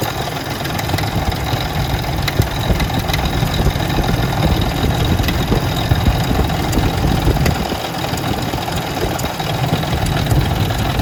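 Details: Ford Expedition 4.6 two-valve, idling in shop: steady idle with dry fast metallic chatter on top; customer complains of rattle under hood, typical of loose timing chain.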